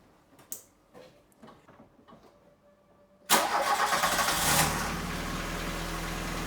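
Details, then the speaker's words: VW Golf 2 after engine overhaul, cold start following oil flush and fresh oil: engine settles into idle with light ticking knock about three times a second that comes and goes; camshaft end play knock. "был отчетливый стул потом пропал снова появился"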